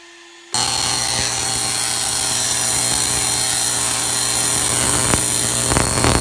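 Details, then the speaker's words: Homemade Tesla coil spark gap of quarter-inch iron square tubing, first firing with fan on: harsh loud buzzing crackle over low hum, spiky snaps; heavy breakout at bottom of five-gallon bucket, owner suspects leaning bottles. "something's going on where it could be because my bottles are leaning but I got a lot of breakout in the bottom of the five-gallon bucket"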